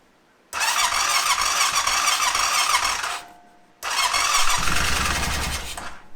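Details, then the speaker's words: 2005 Honda TRX650 Rincon, 650cc single-cylinder four-stroke, air filter removed, choke pulled: two bursts of cranking with a brief catch that dies away as the battery runs down. Hard start; fuel delivery suspected, and compression and intake suction seem good. "our battery is starting to uh wind down so I think I'm just going to let the machine set and charge the battery up for a while"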